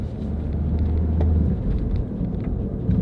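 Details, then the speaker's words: Front-wheel-drive car that burns oil on all cylinders, driving on the road: deep steady low-pitched roar under road noise, louder at higher speed; both front wheel bearings worn. "hear that roaring noise we'll go faster and you'll hear it better as well at lowe's that means the front wheel bearings are going out too"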